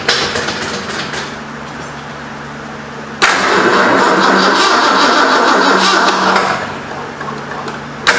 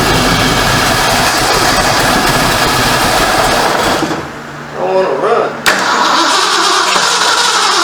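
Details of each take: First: 1973 Ford Mustang Mach 1, 351 Cleveland, 4-speed, first start after engine reinstall and months sitting; steady cranking about three seconds, never catches, no fire. Owner suspects an unplaced coil hot wire; cause unconfirmed. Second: 1973 Ford Mustang Mach 1 V8, running again after months off and almost out of gas: steady, even exhaust note that briefly sags and recovers, with no puffing or ticking; the earlier major exhaust leak is gone and the exhaust is quiet.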